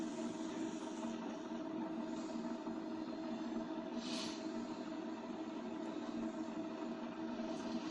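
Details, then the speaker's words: 1991 Orient deluxe ceiling fan after replacing a bad bearing and a weak capacitor: quiet steady low hum, no grinding, ticking or wobble; fan now spins well without pushing, normal running. "Now I am going to test the fan whether it's working or not with new bearing. Now the fan is working very good without any pushing."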